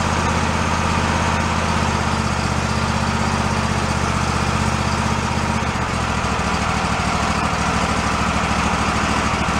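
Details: Toro zero-turn mower that sat for about 10 years, started at about quarter throttle: a steady low thrum that holds an even beat with no misses or knocks; the engine runs normally.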